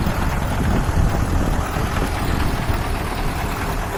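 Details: KamAZ diesel, first start after replacing scored piston, liner, connecting rod and pin to cure an engine knock: steady even clatter at idle with no knock standing out; engine healthy.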